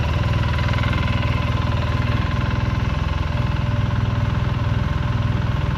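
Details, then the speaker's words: 2008 Polaris Sportsman 800 EFI after installing a new fuel pump sending unit: deep, steady low thump about three and a half pulses a second, no stumbles or surges, no leaks; normal idle. "yeah she runs really good there's no leaks coming out of the top here no leaks coming out of the bottom"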